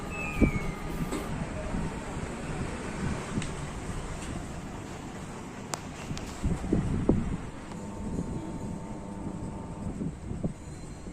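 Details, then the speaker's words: LG top-load washing machine after gearbox replacement for loud spin noise: spin runs with only a low, steady rumble and no grinding, knocking or whine; normal quiet spin. "இப்போ ஸ்பின் ஓடிட்டுருக்கு, பார்த்தீங்கன்னா எந்த நாய்ஸுமே இல்லை."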